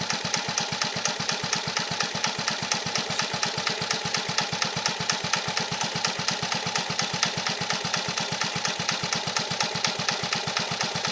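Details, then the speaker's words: 1950 REO small engine, freshly revived, carburetor adjusted down to a very low idle (these reportedly idle real low): slow, steady firing around ten beats a second, no misses or hunting; healthy very low idle. "I heard these things will idle real low. That's pretty low."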